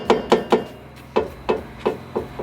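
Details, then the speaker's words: Nissan GT-R R35 on a lift: nine sharp metallic knocks in under three seconds as the loose exhaust pipe, moving a few millimetres, strikes a bracket, leaving a worn spot on the aluminum cross brace; rattle felt through the seat. "so you hear that rattling noise it's basically hitting this pipe against I think's actually right up here but that's the rattle that I'm hearing I can feel it within the seat in my car just because it's metal on metal and it's really annoying"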